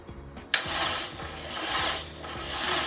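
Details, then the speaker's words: Honda Integra DC2, no running engine since 2017, first crank in five years: slow rasping scratchy turnover about once a second, no firing; sounds very dry, cranking to get oil circulating. "sounds very dry doesn't it come on get the oil sloshing around"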